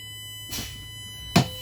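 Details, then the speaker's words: Coach air-brake pre-trip test, engine running, parking brake held in while pumping down service brake: faint air hiss, a soft thud, then one sharp pneumatic pop as the spring brake valve pops out at about 35 psi (spec 20–45 psi), normal. "There you go. It just popped out. I heard it. I hope you guys heard it. So we're at about 35 psi, and that's what we're going to write on there, that for the spring brake pop-up."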